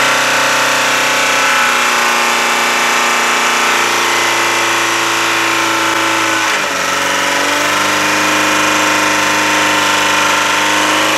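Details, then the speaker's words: Chevy Aveo, about 100,000 km, no oil, revved hard to destruction: sustained high-rev scream suddenly breaks and drops; engine let go, blowing a big hole in the bottom of the oil pan. "oh well sun death went half decent there's a big hole at the bottom of the uh oil pan right now there's like a an explosion somewhere"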